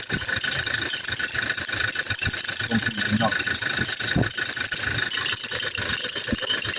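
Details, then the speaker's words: 2017 Toyota Hilux at idle: a fast, slightly uneven clicking rattle that gets louder with load (AC, drive, reverse, steering) and persists with the AC off; the tensioner and idler were replaced without success, and the cause was the alternator pulley. "which it gets it gets louder whenever load is on the engine. So whenever you turn off the AC, it minimizes, but whenever you put it in drive or reverse, it gets louder."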